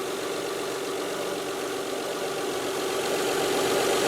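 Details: Mazda 626 at idle after replacing the bad idler pulley, the second pulley and both manually tensioned drive belts: smooth, even idle with a soft steady hum, no chirp, squeal or rattle; belts running solid, sounds healthy.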